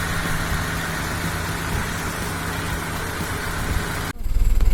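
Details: 1997 Honda Civic Ferio automatic, original 1997 engine: low steady hum with an even beat, no roughness or shake, minimal vibration; smooth healthy idle for its age.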